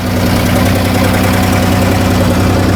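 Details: 2014 Chrysler Town & Country 3.6 V6 with P0300/P0305 misfire, running rich with low manifold vacuum, new plugs and coils didn't fix it: lumpy idle, irregular thuds about three a second; intake cam found advanced, opening and closing too early; rough idle with misfire.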